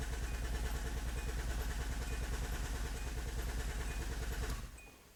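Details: 2004 Hyundai Santa Fe VGT at about 250,000 km, with engine vibration and an oil leak at the injectors, cranking for a compression test: an even, steady beat of about three per second. All four cylinders read a uniform 100%.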